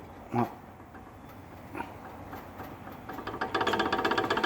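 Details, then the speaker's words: Renault Megane II Grand Tour, about 120,000 km, front shock replaced about two years earlier, strut removed on the bench; dull clunks and quick rattling knock as rod is worked by hand; shock rod play, fix is replacing the shock absorber. "essa barulheira que faz tá então aqui a solução trocar amortecedor"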